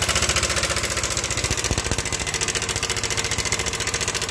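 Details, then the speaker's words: Yamaha Nmax scooter, side deck removed, idles with a rough, fast clattering knock for several days; oil reportedly changed; tensioner broken inside so cam chain went slack. "alhasil tensionernya longgar jadi kampretnya dia ikut longgar dan menyebabkan bunyi yang kasar seperti itu"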